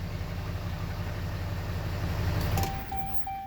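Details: 6.7 Cummins just started after a crank-no-start with cylinder 1–4 injector-open codes; no codes now. A few seconds of steady, even diesel idle with no misfire or knock: running normally.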